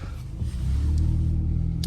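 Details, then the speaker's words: 2009 Toyota Camry LE 4-cylinder, 167,000 miles, on test drive: deep droning rumble builds under acceleration from a small exhaust leak. "It has a small exhaust leak, so under acceleration, you may hear that. That's what you hear."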